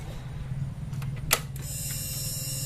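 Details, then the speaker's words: Honda Beat FI scooter with ECU error, after fitting a replacement ECU, key switched on: steady high electric buzz over a low hum; normal fuel pump priming. "Sekarang kita coba putar kunci kontak kawannya kita cek pulpomnya Apakah bunyi"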